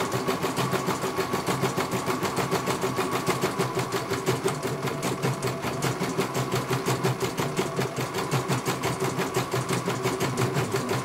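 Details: CNY computerized embroidery machine, serviced, test-stitching. Fast, even clatter at about three stitches a second, steady rhythm with no knocks or catches. It finishes one color and is judged very good.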